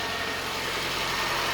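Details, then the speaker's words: Reassembled parted-out Toyota Starlet idling: steady, even idle with no knocks, misses or hunting; engine sounds settled and healthy, normal idle. "again looks and sounds fine sigma you can see why i love these things"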